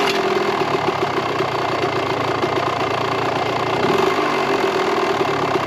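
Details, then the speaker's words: 1998 Kawasaki KX125 two-stroke after final carb rejetting to slightly bigger jets, fuel on and no leak: steady, crisp ring-ding idle with no stumbling or surging; runs and sounds good, carburettor considered pretty much dialed in. "Everything, it sounds good, runs good. So I think we've got it pretty much dialed in."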